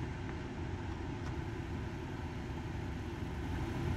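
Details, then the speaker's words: Car cabin with audio through a 3.5 mm aux Bluetooth transmitter, after fitting a ZIOCOM ground loop noise isolator: only a low, steady engine rumble, with the ground loop buzz and whine gone. "looks like it went away so this will definitely help if you're having to use a Bluetooth transmitter with a 3.5 and you're having like the ground Loop isolator noise"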